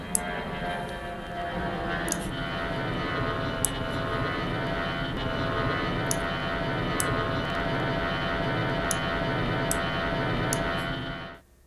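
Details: Aircraft passing with strong turbine noise, used for psychoacoustic roughness analysis: steady jet roar swelling and fading with coarse fluttering roughness; rough turbine noise.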